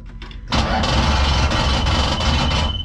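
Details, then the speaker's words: 1968 Dodge Charger with Hellcat engine swap, first start attempt with no fuel in it: the starter spins the engine steadily for about two seconds but it never fires or catches. "well i know it's not going to crank over we don't have any freaking gas how did i forget that"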